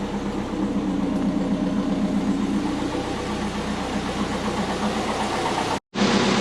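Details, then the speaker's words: Twin-turbo Subaru Forester on jack stands after spark plug check and tune corrections, running a bit rich: engine revs cleanly and evenly off idle with no stumble; idles higher and smoother, all four cylinders firing properly, normal revving. "definitely revving a lot better um yeah we'll get off the jack stands"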